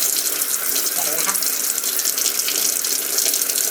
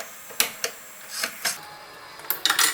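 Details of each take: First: Panasonic AF90B2 washing machine, after repair of fault where fill water drained away continuously: steady hiss and splash of water filling the tub, nothing draining; normal fill. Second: Panasonic AF90B2 washing machine that drains water constantly and won't hold water: sharp, irregular metallic clicks a few per second from a coin stuck in the drain valve, which was holding it open.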